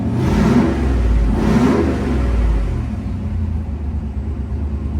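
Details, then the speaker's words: Junkyard 5.3 LS V8 on dyno with brand-new out-of-box carburetor, rear jets just reduced for richness: snaps up sharply on throttle stabs and falls back without stumble or pop; crisp, healthy response. "I can't believe how crisp that carburetor is out of the box sounds wonderful"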